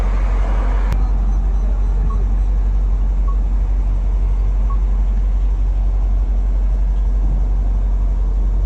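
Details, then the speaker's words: 2010–2012 Dodge Ram just after fuel pump replacement, started with engine light on; steady, even low rumble with no knocks, misses or surging, idling smoothly and healthy. "अभी गाड़ी स्टार्ट करते हैं। स्टार्ट हो गई, लेकिन engine light दे रहा है।"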